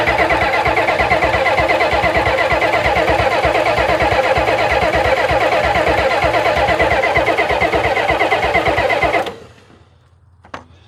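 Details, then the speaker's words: 1991 Ford F350 dually, 7.3 IDI diesel, unrun since 2010: even cranking about three beats a second for nine seconds, never fires. Fuel in the rails but owner unsure of fuel pressure; unconfirmed. "I'm not sure I'm getting enough fuel pressure. I'm kind of worried that this one has it."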